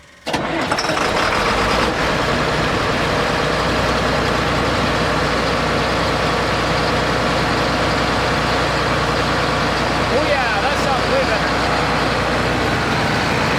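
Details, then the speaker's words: John Deere 9600 combine diesel after replacing a worn-out injector (earlier blue smoke, diesel in overfull oil, 37E fuel temperature sensor code): fires up quickly, settles into even steady idle, no stumble or misfire; running completely different, normal idle. "I don't know how well you're going to be able to tell this on the camera, but this thing is running completely different now."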